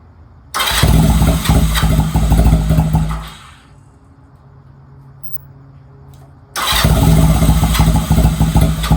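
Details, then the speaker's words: Honda Rebel 250 first start in 27 years, choke fully up, in neutral: catches and runs with a steady low putter, dies back, then fires again and keeps running; sounds healthy with no engine noise. "It actually doesn't sound that bad. It sounds really healthy. There's not really like a noise on the engine."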